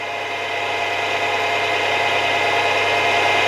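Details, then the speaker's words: Milling machine after spindle bearing replacement with preload and end float set, on high speed: smooth, even whir with steady pitch; the earlier chattering noise at the highest speeds is gone. "yeah i'm pretty happy that that noise is all gone by the sounds of it"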